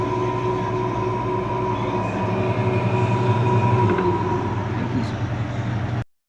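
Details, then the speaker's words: LG washing machine on spin with the tub ring removed: smooth even motor hum and steady whine, no strange noise; loud noise returns once ring refitted, so ring is the cause. "Okay, aquí hemos levantado la tapa, le hemos quitado el anillo y la hemos puesto centrifugar. No está teniendo ningún tipo de ruido extraño, está sonando bien."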